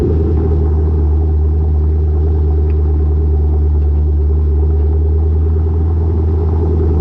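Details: Lowered car (rear coilovers) with Borla catback, after a header-wrap fix on the over-axle pipe: steady low rumble from under the car at an even pace, with no thuds or knocks; the exhaust no longer hits the axle.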